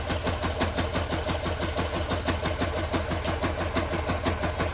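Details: Engine at steady idle with a regular tapping about three times a second over the running note; a strange mechanical knock, cause unclear.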